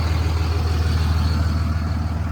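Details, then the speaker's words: 2006 Ram 3500 3rd-gen Cummins diesel at idle on the NRE EFI Live tune 3 (12-valve tune) with pilot injection disabled: a hard clattery knock in every firing pulse, a second-gen-style rattle that goes away when the tune is switched off. "So this is the sound of the truck on the 12-valve tune. Hear like a nice second-gen rattle."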